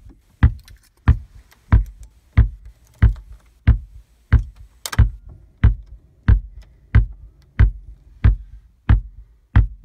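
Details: VW Tiguan RNS510 radio/nav stuck in a startup loop with a flashing screen: deep, even thumps through the speakers about every two-thirds of a second on each reboot; cracked solder on the PIC16 chip needs resoldering.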